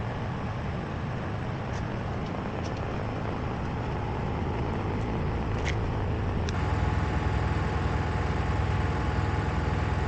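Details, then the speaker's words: Miele WKG 130 WPS washing machine in spin: deep rumble with strong vibration and an uneven internal knock about twice a second, from worn shock absorbers needing replacement. "in the spin mode strong vibrations are felt throughout the entire machine I'm trying to show them here because they are not clearly visible in the recorded video in addition to them there is a knocking noise from inside in most cases this is due to wear of the shock absorbers"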